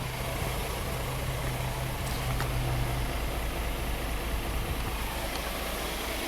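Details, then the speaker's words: 2016 Hyundai Santa Fe V6 GDI, 125,000 miles, P0018, blue smoke, check engine light flashing: uneven stumbling misfire idle with popping from fuel burning in the tailpipe. Cam timing estimated at more than 60° retarded; chain suspected jumped at least 2 teeth. "I think I hear popping in the... Yeah, well that's because the gasoline's burning up in your tailpipe."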